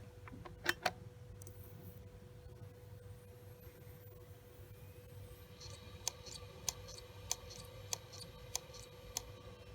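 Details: WD Caviar Blue hard drive, left for almost a year in a school classroom: sharp clicks about every 0.6 seconds over a faint steady spindle hum, the click of death.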